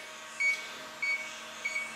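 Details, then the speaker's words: WEMO transCooler 25 with Danfoss/Secop BD220 compressor, out of refrigerant: leak detector gives short high chirps about every half second while scanning, signalling at a hole the customer drilled into the evaporator. "wenn ich hier alles absuche gehört das vielleicht wie das pfeif und wenn wir an dieses loch geht ich bin jetzt ruhig fängt das teil an zu blinken wir haben hier das leck suchgerät"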